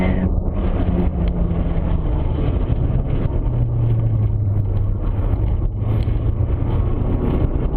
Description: I went lapping and sometimes the car whine in gear. Car is swapped with a KA24DE '95 S14 powertrain.